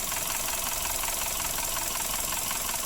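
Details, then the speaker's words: Suzuki Ertiga engine at idle: busy, fast metallic rattle across the top end; no oil pressure from clogged oil passages left the part loose and the timing chain slack despite an oil change. "karena tidak ada tekanan oli maka suaranya menjadi kasar karena oblak dan rantai ketengnya juga mengalami kendor"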